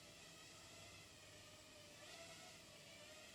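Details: Martian II FPV racing quad (Hyperlite V3 2206 2600KV motors, DYS XS30 ESCs, RaceKraft 5051 props) hovering after repair of its oscillation problem: even high airy whir with slight pitch swells, no wobble; normal hover, some tuning issues remain.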